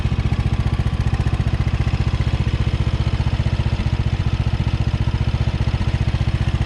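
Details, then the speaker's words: Craftsman riding mower, small engine: steady even thump a little under four beats per second, no misses or rattles; good runner, though mower deck belt engagement feels weak and tensioner needs adjusting. "Other than that, seems like a good runner."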